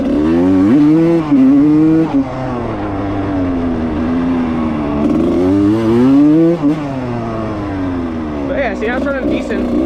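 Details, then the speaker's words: Rebuilt 1995 Suzuki RM125 two-stroke dirt bike, ridden wide open: revs rise and fall with flat sagging dips where it stumbles; bogging under throttle. Owner suspects running rich or a carb seal; float adjusted and rejetted without fixing it. "See? There's that bob. There's that bob right there. You can hear it right there. This thing rich."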